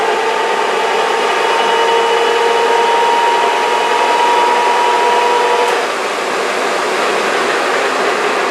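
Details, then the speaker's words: J44 motored on its starter after accessory drive restoration: steady, even high whir from the spinning rotor, no surging, a faint rattle believed to be a bearing that always made that noise; normal motoring. "what pretty smooth i think you could stop that from hurting okay good got a little bit of a like the rattling yeah that's i think that's the bearing it always made a little bit of noise but that's okay it did that noise before"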